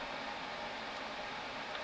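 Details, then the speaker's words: HP LaserJet Pro printer with a refilled original CF218A cartridge, printing a demo test page: steady, even whirring hiss with no knocks, squeals or grinding. Normal printing. "Ну вот все. То есть, ну, печатает он отлично."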